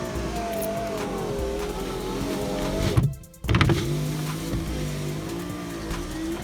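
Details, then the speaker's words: VAZ car, power window after cleaning and refitting the old worn felt window strip (replacement didn't fit), ignition on: thin wavering squeak over window motor hum as glass travels, still slight noise; strip needs replacing. "Пришлось старую взять, почистить. И, в принципе, сейчас зажигание. Все равно чуть-чуть звуки есть."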